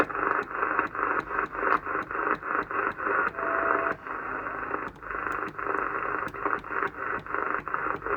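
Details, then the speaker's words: Cobra 2000 GTL classic CB radio on an aerial, first seemed to have no receive: speaker hiss comes and goes in short choppy bursts as signals break through, so receive is working normally. "So we do have receive."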